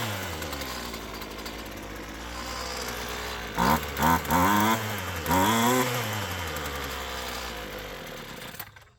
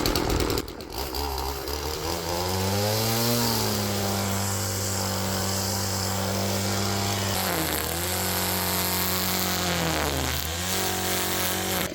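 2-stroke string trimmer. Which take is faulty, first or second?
first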